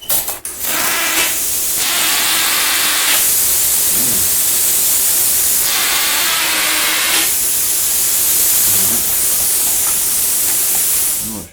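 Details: New Lotos LTP5000D plasma cutter, first power-up before cutting: loud, steady, high airy hiss runs nonstop from switch-on with almost no low end; not a normal noise for this cutter.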